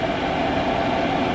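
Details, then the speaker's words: Chinese diesel heater in a 2015 Freightliner Sprinter van, switched off by holding the power button and going through its shutdown cycle: even airy blower whoosh with a low hum and no scraping. Normal shutdown fan run. "and then i think it just has to go through a shutdown cycle and then once it does that it'll switch off"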